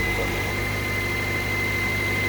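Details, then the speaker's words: Toyota Corolla right after starter replacement: starts right up and settles into an even, steady idle with smooth low hum and faint high whine, no knocks; charging system reading 14 volts, fan not yet refitted; healthy idle. "start right up so there you go simple to do it i didn't put the fan yet but i'm just gonna put it right on see the engine is running see the system is charging 14 volts that's pretty good"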